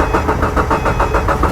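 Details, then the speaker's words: 2013 Subaru Impreza cranks at an even brisk rhythm but won't start once scan tool is unplugged from the DLC; it ran with scan tool connected, suggesting a ground problem bridged by DLC pins 4 and 5. "and now we have a no start condition so there's only a couple of possibilities here"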